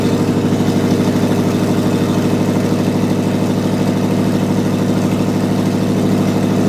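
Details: Junkyard Vortec 5.7L swapped into S10 after head swap, first start without coolant, open headers: steady, even idle with loud rough pulse about three beats a second after MAP sensor troubleshooting; normal idle.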